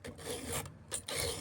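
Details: Filing chainsaw chain rakers at a 45-degree angle rather than straight across: three smooth, even, dull rasping file strokes with short pauses and no squeal, the file biting cleanly.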